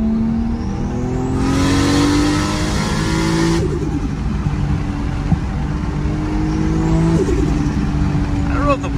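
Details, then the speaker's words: Single-turbo 1JZ on a test drive after fixing the wastegate/boost controller vacuum tee: engine revs with a rising turbo whistle and no whoosh between shifts; owner unsure whether the blow-off valve works because he hears only turbo. "valve is working because i do not hear it i hear turbo that's all turbo right there"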